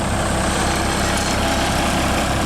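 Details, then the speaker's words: International truck with DT466 diesel, the good-running engine the owner wanted: steady even idle with deep rumble, no knocks or misses; runs smoothly and healthy. "yeah this thing runs so good that's why I wanted it"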